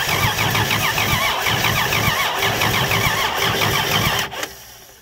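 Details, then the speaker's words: First start attempt of a 239 3.9-liter V6 with a homemade carburetor adapter that is leaking badly: steady, fast cranking for four seconds without firing, then winding down; it cranks but won't start from the vacuum leak and fuel starvation. "as you can see my adapter is leaking like crazy so uh maybe we can just get this thing to pop off here okay then i come up with some better adapter because obviously that one's not going to cut it"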